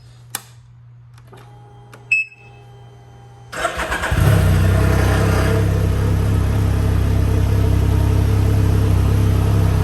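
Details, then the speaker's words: Can-Am Ryker after cushions were fitted between loose body panels to stop rattle: the engine cranks and catches, then settles into a steady, even idle with no plastic buzz or panel rattle. Normal idle, vibration noise fixed. "From where I located those cushions, seems to be doing pretty good on the vibration noise, so I'm happy with that."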